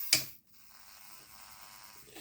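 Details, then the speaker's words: Heljan Class 17 model locomotive that stopped in a puff of smoke: sharp start click, then a faint thin buzz with the motor barely turning. Directional lighting works, burning smell; judged the usual Heljan motor blowout. "yeah the directional lighting is working it's just the motor just the usual Helen motor blowout there's quite a smell of burning coming off it"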